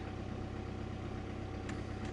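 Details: VW Passat 2.0 TDI diesel after repairing a bad contact at the fuel pump connector pin that had caused the no-start: an even low diesel rumble at idle, steady and regular with no knocks or stumbles. Normal idle.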